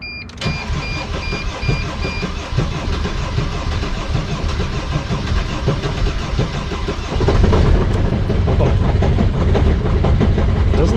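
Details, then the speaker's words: 2006 Sprinter T1N diesel that lost power and shut down on the highway, after crank sensor replacement: starts and idles with loud harsh metallic rattle and clatter growing louder; owner suspects the transmission. "great it might be the trans that's not ideal that sounds awful"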